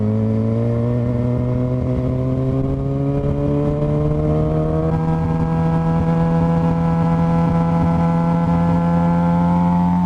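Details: 2007 Suzuki GSX-R 750 pulling uneven and lumpy as revs climb, thin whine rising with engine speed, feels like three cylinders; owner suspects stator or regulator/rectifier, battery fell 13 to 9 volts; misfire with whining noise.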